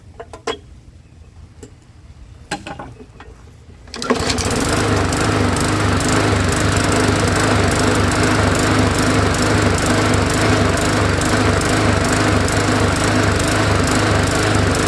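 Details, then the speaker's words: Lawnmower engine started after its carburetor bowl fell off and was refitted, running with a steady rhythmic rise and fall in its note; surging suspected from a blockage in the carburetor, usually the main jet. "You can hear that it's surging, which means it's got a block in the carburetor, usually in the main jet."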